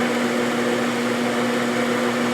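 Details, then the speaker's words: Milling a replacement half nut in soft material for a Hamilton 6-inch metal lathe, sharp cutter, hand feed, about 50 thousandths per pass: steady even hum, constant tone, no chatter or squeal; normal smooth cut. "this is pretty soft material um this is a good sharp cutter I could probably take 100 at a time if I really wanted to but this is good I'm getting a nice smooth cut so I'd rather take my time and do a few passes rather than push it"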